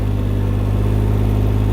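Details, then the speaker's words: Can-Am Ryker 900 three-wheeler pulling away slowly in forward gear on light throttle in a parking lot; deep, smooth, even engine hum with no knocks or whine, normal running. "and now we're moving forward see we're not going fast we're just going slow since we're in the parking lot"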